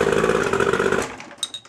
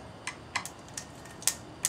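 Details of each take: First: Boat motor after plug check and terminal cleaning: motor fires right up, runs with an even, steady roar about a second then cuts off; clean healthy start, ruling out terminal problems. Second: Boat engine with NGK plugs and cap off: sharp dry clicks, about seven in four seconds, with no cranking; terminals were cleaned, so starter solenoid connection suspected.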